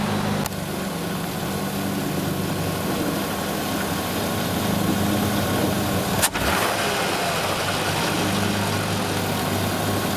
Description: What you're hearing here is both a combination of the intake shifter bushings being worn out, and a vacuum leak of one of the gaskets of the shifter rod, which is the green gasket that can be seen at around 0:30 . The rattling and poor sound of the engine is because because of the vacuum leak.